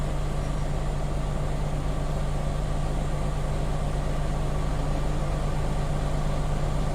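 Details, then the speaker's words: Truck diesel revved (stated about 10,000 RPM) building air pressure past 110–120 PSI toward governor cut-out at about 127–130 PSI; steady raised-idle drone with a low rumble, no knocks or leaks; normal air pressure build-up. "How do I know the governor will be cut out? You will hear the hissing sound, and my needle will stop rising. Okay? So, as you can see, it's increasing."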